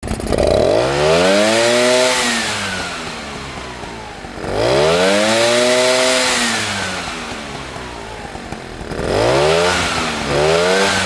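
Two-stroke revved up and down three times; a dry rattle follows the revs, worst as it falls back, suggesting a loose piston. Cause suspected, not confirmed.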